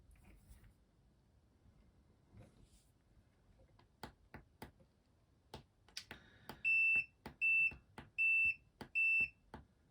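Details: Continuity test on a CBE motorhome stair switch (Carthago Chic I47, 2006 Fiat 2.8 JTD) using a multimeter: button clicks, then four crisp high beeps, one per press; this new replacement switch closes cleanly and shows good continuity, unlike the failed originals.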